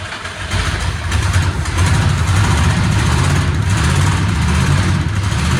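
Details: 1979 Ford F350 Ranger XLT 4x4 V8, possibly 351, after 40 years sitting, old ignition removed and thicker ground cable fitted: deep, steady rumble settling to an even idle, no knocks or misses; running normally.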